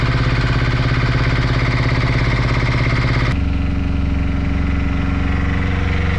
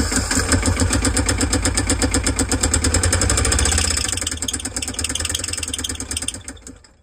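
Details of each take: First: Brand-new Beta Marine 16 diesel, just installed in a sailboat after the old engine failed, runs in the harbor with a steady, even low thump and no misses, settling to a lower speed halfway through; normal healthy running. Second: Sailboat diesel that repeatedly died over five years, before replacement with a new Beta Marine 16: harsh, uneven clatter about three beats a second, then dies; damage found to the crankshaft and bearing.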